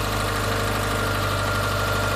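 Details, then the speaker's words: 2002 Subaru Forester at startup with all belts removed: a smooth, quiet idle with no squeal, chirp or rattle. This clears the belts and pump and points to the tensioner/idler pulley as the source of the front-end noise. "It's extra quiet. So when it's that quiet and you took off all your belts, this one's good, this one's good, your pump is good,"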